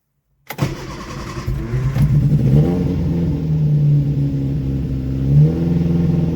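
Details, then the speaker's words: Freshly rebuilt 1311cc A-series engine, first-ever build, run at higher rpm to bed in; catches quickly and runs steady and even, no knocks or misses, timing and mixture not yet set. Normal running, but oil pressure warning light comes on even at high rpm. "Okay, it runs it runs really nicely by the sounds of it, even without um even without the timing and mixture being set properly."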